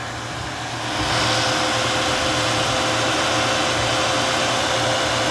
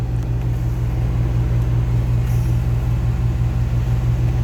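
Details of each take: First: 1988 XC, 3.8 "red dot" V6 (150 hp), cold start, hood open: note lifts at the kick down, then holds a steady even idle with fan-like air rush and no stumble; owner notes a misfire pending tune-up. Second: 1988 XC, just fired from a cold start: steady low rumble held at a high idle while cold, oil pressure good, tachometer broken; normally run about 10 minutes to warm.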